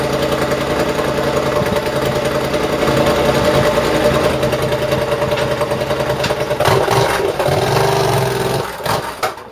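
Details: Rebuilt exhaust just fitted to a Triumph: revs rise and settle, then sharp irregular pops crackle out as revs drop. The still-connected AIS air injection system makes it run lean; the owner intends to disconnect it.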